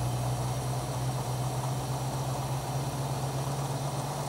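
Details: 1967 Mustang with a carburetted engine, hot idle during tuning with a vacuum gauge: a low, steady idle with a slightly sagging, unhappy note while the idle mixture screws are adjusted from a 1.5-turn base; rough idle from an incorrect mixture setting.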